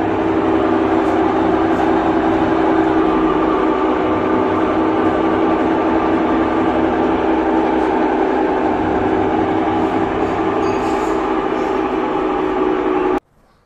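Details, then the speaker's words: Samsung top-load washing machine during spin: loud, steady rumbling roar throughout with no let-up; faulty gearbox causing the spin noise. "के time प बहुत ज्यादा sound आता है अगर sound बहुत ज्यादा आता है इस तरीके से जैसे कि मैंने आपको दिखाया था मशीन चला के तो वहां पे क्या होता है इसका गियर बॉक्स खराब होता है तब यह दिक्कत आती है"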